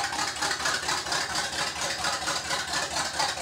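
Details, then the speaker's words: G-body El Camino V8 after carb conversion with no computer, open headers, after about five minutes running: loud open-exhaust burble with even pulses about twice a second, no miss or stumble; idles steadily, running differently than before the work. "it's different in the way it's running now compared for the way it was running before"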